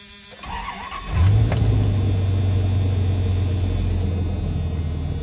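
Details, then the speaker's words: 1997 Dodge Ram 2500 after a transmission rebuild plus new wires, plugs and battery: short crank, catches at once, flares, then a deep, even, smooth idle with no miss or shake. "this thing just fires right up. So as you guys can see, this thing just runs and idles so smooth."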